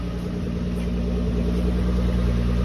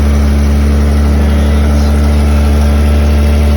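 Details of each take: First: 1979 Toyota Cressida: steady even low idle rumble without stumbles; about one start in ten it hiccups instead, owner suspects a vacuum problem. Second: 1979 Toyota Cressida, carbureted, just started: steady low idle with a faint light pinging over it; small exhaust leak ticking at idle.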